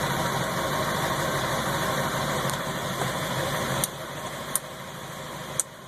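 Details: Ford 7.3 Powerstroke diesel idling higher than normal and rough, surging in gear; a new fuel filter and additive helped only two days. Fast, uneven clatter with a wavering beat; owner suspects a bad ICP sensor or FPR.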